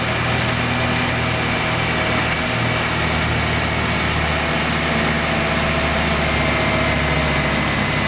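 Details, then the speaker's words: Mazda RX-7 that failed inspection on very high CO (2.70), with no oil pressure reading: lumpy, shaky rough idle with misfire that worsens at slight throttle and an odd noise on first crank; ignition leads already measured; cause unknown. "I noticed that he's misfiring. It has a rug idle, it shakes a bit, and he makes a peculiar noise when I crank it for the first time."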